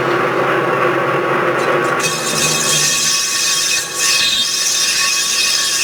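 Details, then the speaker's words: Lathe turning a cast iron clam pump impeller OD, about 0.020 in per pass: loud harsh hissing cut with ringing high tone, chatter and vibration from a setup not rigid enough; heavier feed pressure reduces chatter. "And you can hear the vibration, and I just need to set this up a little stouter."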